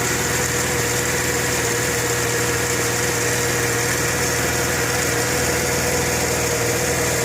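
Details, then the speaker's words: 1998 Mercedes ML320 petrol engine idling just after an oil change: steady high whine with fast even ticking; owner suspects a tensioner or something internal, unconfirmed. "Just did an oil change. But it still has like a whining, ticking sound. Don't know if it's a tensioner or something in my engine."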